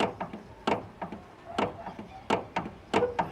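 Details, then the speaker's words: Sharp hollow "tac tac" clunks about twice a second as the front wheel hub is rocked by hand; tie rod end worn with nearly 2 mm of play. "eu vou encerrar esse vídeo aqui porque esse aqui é dica de de demonstração do barulho né Desse taac tac pa pac que tem aqui"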